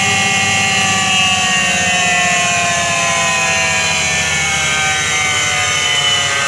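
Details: Washing machine during spin: steady roaring hum with whining tones, the drone of a worn drum bearing.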